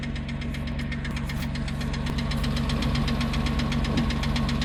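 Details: 2006 Porsche Cayman S at idle after a low oil pressure warning, sludged oil, engine wash and fresh oil and filter: fast loud even ticking about four per second; oil additive didn't help, lifters to be replaced.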